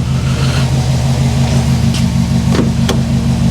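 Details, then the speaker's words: Freshly assembled Subaru WRX 2.5 turbo boxer, first start after rebuild and oil priming, warm with temperature mid-range: smooth, even, quiet low idle, steady beat, no knocks or ticks; running as it should. "Man, it is running very well. I am very happy. It's quiet. It's just like it should be."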